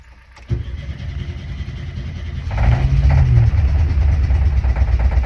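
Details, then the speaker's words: Air-cooled VW bay window camper van with its original old fuel pump wired back in after a faulty secondhand pump leaked fuel. It cranks, catches and runs unevenly, stumbling and hunting as revs are held 5–10 seconds. Owners now suspect a vacuum leak or carburetor settings, not just fueling. "at this point we're starting to think that it might not just be the fueling that's the issue so we start exploring other possibilities such as a vacuum leak and carburetor settings"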